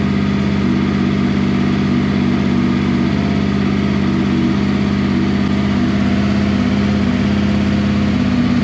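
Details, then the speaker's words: 6th-gen Honda VFR800 VTEC V4, first run after a valve clearance inspection and reassembly, not revved while oil circulates, oil pressure light out: smooth, even idle with a steady low beat and no ticks, knocks or rattles; checking crank covers for leaks. "straight off the button it cranked probably two or three times and as you can hear it's running absolutely beautifully"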